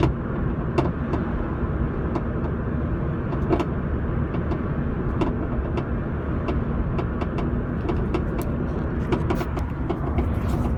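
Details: Mini Cooper S with Meganracing coilovers (checked, all tight): irregular sharp knocks and clicks over road and tyre rumble while driving, seemingly from the back right; cause unconfirmed.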